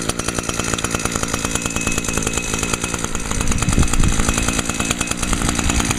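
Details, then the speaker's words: Echo PAS 230 two-stroke after new carburetor replaced one that made it run then die: crisp steady buzz picking up cleanly on throttle with no bog; probably runs best since bought, slight smoke from residual fuel creep into cylinder; normal running and revving. "Definitely tell a big difference on how it runs now. So, cool. Probably hadn't ran this good since when I first bought it."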